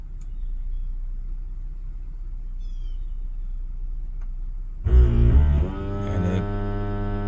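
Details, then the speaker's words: 2012 Ford Edge Limited 2WD 3.5L V6 with a sinking brake pedal, scan-tool ABS service bleed purging air: after a quiet spell, an electric pump whirs up with a rising buzz and valve chatter, then runs steadily; normal ABS pump running. "so I was releasing getting more air out of the system and it's going to go to that ABS noise again"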